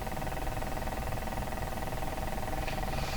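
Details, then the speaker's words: Canadian Spartan Model 5542 tube radio after speaker cable restoration and a new power cord, on a dim-bulb supply at about 74 volts: a steady low purr with buzzy hum that changes with the tone control. Motorboating oscillation, cause not yet identified. "sounds like my cat purring that's right we got a purring radio"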